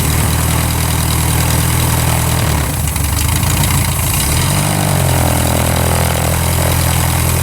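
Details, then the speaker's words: Revmaster air-cooled VW flat-four in a Sonex aircraft, still warming up, drops from about 1800 RPM to an even, settled idle with no stumble or miss, with wind noise; running fine. "Yeah, we're still running at 1800 RPM."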